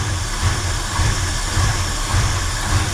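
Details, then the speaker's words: 1968 Ford F100 Ranger V8 long abandoned, idling with plug wires pulled: deep uneven loping idle, heavy surge about every half second; weak spark suspected, runs as smooth on 5 cylinders as on 8, owner suspects plug wires, plugs or coil. "It runs smooth on 5 cylinders and it was all 8 hooked up. My goodness somebody. I think we need plug wires and plugs and all that if we really want it to run right."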